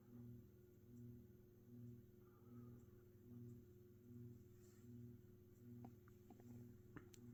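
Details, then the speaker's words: Mid-to-late 1980s Saff Enterprise Flush Polo 52-inch three-speed ceiling fan on low, blade irons slightly misaligned: quiet low hum swelling and fading about once a second, faint bearing rumble underneath; motor hum louder than bearings. "Burns do make noise on this not really too obscenely loud but you can hear them the motor hum is a lot more noticeable than the bearings though"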